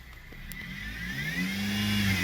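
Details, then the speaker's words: Dodge Caliber with a complaint of power steering noise: a thin whine climbs in pitch as the engine revs on the gas but not when steering. "when i step on the gas i hear a whiny noise now how do you deal with that"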